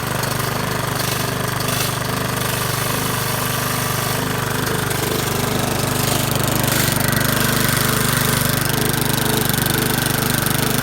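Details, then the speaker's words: Craftsman 21-inch mower with a Briggs & Stratton 550 series engine pulled from the trash, running with no blade and no throttle control after being laid on its side; steady fast chuffing with an uneven, lumpy beat and smoke. Rough running, cause not pinned down. "We got it up and running. You know, it doesn't sound the best in the world. And it's definitely smoking because we had it on its side and stuff."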